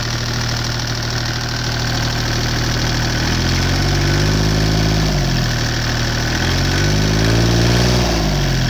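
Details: Deutz 2009L03 3-cylinder direct-injected diesel on a test stand, cold at about 52°F after start; clatter ticks evenly about four a second, pitch easing up and down slightly as speed shifts. Normal diesel idle.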